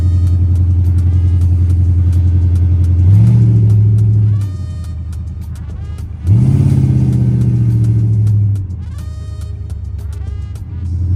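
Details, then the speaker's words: Chrysler 300C 5.7 Hemi after the missing driver-side header bolts that caused clunking were fixed (long-tube headers): deep, even V8 growl swelling cleanly on two throttle blips and settling back, with no ticking or clunks. Normal exhaust note. "Now it has its depth back like that deep [Music] growl."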